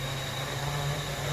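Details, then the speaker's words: Hovering quadcopter: steady motor hum with a thin high squeal riding over it from one motor with a bad bearing, later replaced with a new motor. "I've uh fixed or replaced the motor that was squeaking that you can hear you can hear that one motor just sort of squeaking"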